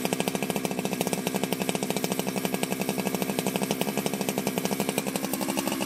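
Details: Ported Jonsered 2071 chainsaw after rework; it had run poorly, like an air leak with a hot case, but no air leaks were found and the crank was re-tightened. Fast, even two-stroke crackle at steady high revs with no misses or stumbles: normal running.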